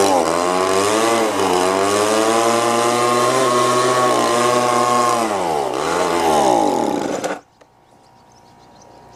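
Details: Old Echo two-stroke blower after a fresh carburetor install, choke on: it screams at high revs, sags and surges unevenly, then cuts out. The idle is far too fast and rough, unchanged by the mix screws; the owner suspects the plunger adjustment.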